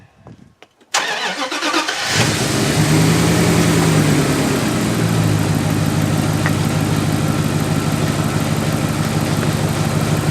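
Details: 1997 Dodge Dakota 5.2L V8 after water pump replacement: starter cranks about a second, engine catches, flares briefly, then settles into a steady, even idle. Normal start and idle.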